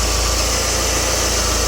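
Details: Mercedes CLK W208 M111 200K/230K with Eaton supercharger, first test after fitting a modified compressor pulley and belt: steady, even idle with a smooth low pulse and constant belt whir, no ticks, slips or chirps; healthy.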